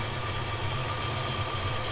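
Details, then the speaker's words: Twin-turbo 1957 Chevy Bel Air restomod after a bad exhaust leak repair: steady, even low idle with a faint high ring, no ticking or puffing from the manifold. It is the quietest it has been since its initial fire-up. "it hasn't been that quiet forever forever basically not long after initial fire up"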